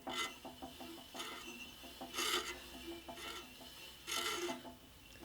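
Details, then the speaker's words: Scheppach HBS20 band saw, unplugged, blade being changed and wheel turned by hand: slow, uneven rasping scrapes about one every two seconds; owner suspects the brush rubbing the blade, top bushing also touching. "Actually, the scraping sound may actually be this brush here."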